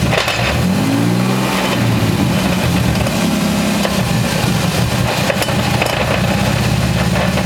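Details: 1994 Toyota Supra twin turbo 6-speed: deep steady droning growl under the engine that sounds like a drivetrain fault but came from a bad rear wheel bearing.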